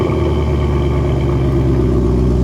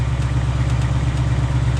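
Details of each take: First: 2020 Ford Mustang GT V8 cold start: deep, even rumble holding a steady fast idle, no knocks or ticks, healthy exhaust; normal cold start. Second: 2020 Ford Mustang GT V8, new, tick first heard around 1,000 miles: faint, irregular light metallic ticks over a steady idle; the owner calls it a scary noise, cause not yet known.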